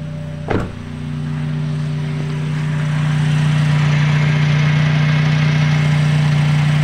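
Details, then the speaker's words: Toyota Calya AC not cooling, blowing only air; after repair the AC compressor clutch clicks in and a steady low hum settles over the idle as rpm rises, and the compressor now spins normally, stopping when the AC is switched off. "Nah ini kompresornya sudah berputar ya teman-teman. Jadi kalau kita nyalakan AC, kompresornya seperti ini. Kalau kita matikan dia akan berhenti."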